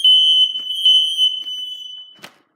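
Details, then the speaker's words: Ionization smoke alarm mounted higher than others: steady high piercing tone for about two seconds, then off; works but activated slower than the others, height suspected as cause. "okay okay I'm gonna have to look into why it activate as fast as the other ones did which is very weird could possibly be the height of the smoke detector"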